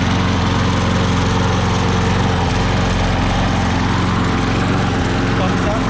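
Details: Craftsman electric-start self-propelled lawn mower, previously would not start or stay running: steady, even single-cylinder buzz holding constant speed without stumbling or dying; mower runs cleanly.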